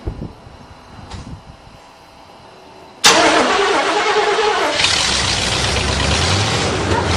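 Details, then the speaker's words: Buick Roadmaster 5.7 L throttle-body fuel-injected V8 with chopped custom headers, first start after repairs and modifications: sharp catch, then a loud raspy steady rumble; normal start and idle. "That sounds awesome. You like? I like."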